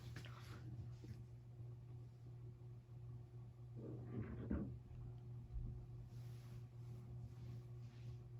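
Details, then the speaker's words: SMC DC42 ceiling fan on a test rig: low, steady electrical hum at one pitch. Motor hums and needs oil; bearing noise noted. "It hums and it needs oil, but I cannot find my oil right now."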